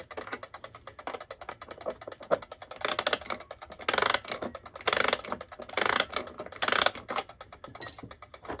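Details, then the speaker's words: Antique German alarm clock c. 1898–1902, before restoration, running without its pendulum: fast, even ticking with louder ratcheting bursts as it is wound; the escapement races because the pendulum is off. "yeah so it really wasn't wound at all and I hear it ticking rather rapidly without the"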